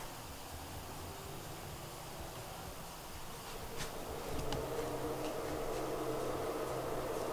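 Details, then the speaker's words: NF-A4x10 FLX 40x10mm fan newly installed on Tevo Tornado 3D printer hot end, wiring zip-tied; soft steady hum settling into a faint even tone as it spins up, no ticking or rattle; normal fan running. "i'll figure out later how to hide all these wiring but just holding it with a zip tie awesome looking good sounds good"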